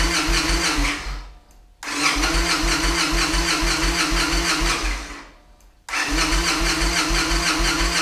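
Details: Victory Vegas Jackpot V-twin first start after new fuel pump installed, primed twice, chilly afternoon cold start: a few bursts of cranking and firing die back before it catches and keeps running; normal engine start.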